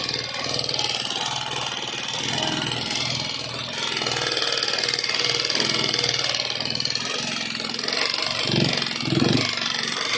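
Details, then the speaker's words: Neglected Euro 150 motorcycle engine running rough with loud, busy metallic clatter and no steady idle; very dirty inside, valve tappet screws very loose; valve train clatter from excessive valve clearance and oil starvation. "guys putol pa an an napaka ingay niya ah napakaingay na makina"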